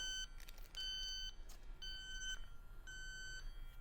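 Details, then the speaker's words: Robin Air R134a/HFO-1234yf leak detector checked with its test vial: repeated high electronic beeps in short, unevenly spaced bursts, showing the detector works properly. "now it does have test fluid to make sure it's working right leak test vital"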